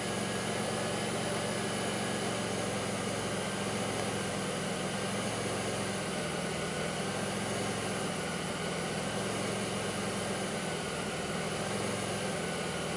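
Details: 2002 Pontiac Grand Prix 3800 V6 with a rough, bogging idle, no check engine light and an overheating alternator, logged with Torque OBD2: a steady drone whose low end wavers and dips every few seconds; faint intermittent thumping pulls the idle down, cause not obvious.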